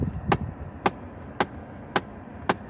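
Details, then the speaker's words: 2009 Chevy Impala LT with air conditioning switched on: sharp, evenly spaced knocks about twice a second over a quiet background; source of the knock unknown. "but I'm gonna put the air conditioning on and listen to the sound I don't know what it is"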